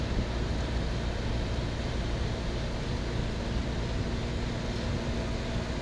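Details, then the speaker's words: 1970s Westinghouse 6,000 BTU window air conditioner, newly installed, 70°F humid day: steady low hum with even fan rush, no rattles, knocks or squeals, level throughout; runs smooth and surprisingly quiet. "Damn, that sounds nice. I'm amazed. I thought this unit was going to be a lot noisier than this, but that's not the case at all here."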